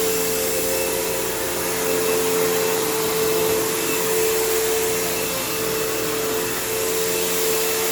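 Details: Kenmore PowerPath System vacuum, just acquired: loud steady roar with a fixed mid-pitched tone and a rough edge, then a long motor wind-down. Tired motor; the brush roll needs work and the belt needs changing, so it needs a basic service.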